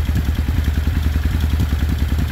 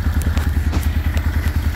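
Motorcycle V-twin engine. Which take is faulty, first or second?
second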